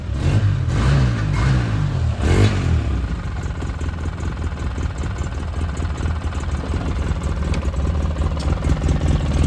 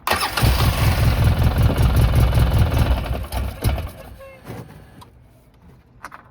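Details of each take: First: 2009 Polaris RZR 800, parked about 5 years, which earlier stalled whenever throttle was given: quick throttle blips rising and falling cleanly, then steady even idle that keeps running; engine runs normally. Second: 2009 Polaris RZR 800, parked about 5 years, first start attempt holding brake: rough low idle for about three seconds, then stumbles and dies as soon as a little throttle is given; stalls every time gas is applied.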